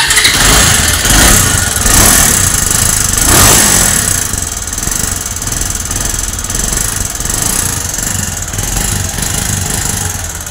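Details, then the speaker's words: Bajaj Avenger 220 motorcycle, second engine rebuild due, high mileage on meter: engine starts and idles with a loose tractor-like clatter, knocking rattle from worn internals; engine to be opened to find the worn part. "जैसे tractor होता है ना tractor ज tractor start होता है कड़ कब करता है वैसे इसके अंदर कंकड़ से बज र है"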